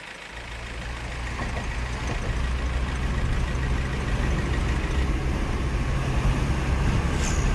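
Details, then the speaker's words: Mahindra Marazzo diesel with codes cleared: sound fully changed, smooth steady low idle with no ticking or knock, no trouble codes; healthy. "अब करते गाड़ी को start उसके बाद check करते हैं गाड़ी का साउंड पूरा चेंज हो गया नो ट्रिबल कोड"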